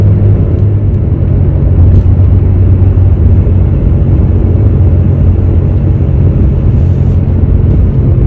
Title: #HummingSound #BadWheelHubBearing #shorts